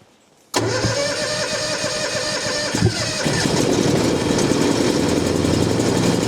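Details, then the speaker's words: Gas skid steer started cold in winter for warm-up: catches into rough cold idle with one sharp gunshot-like pop; backfire on cold start, cause unknown. "oh Hoy woo that sounds like a gun going off I don't know why it's doing that I'm going to fire [Music] up it doesn't like the cold the same as which I don't know why it's gas normally they start with no problem but sometimes stranger things happen"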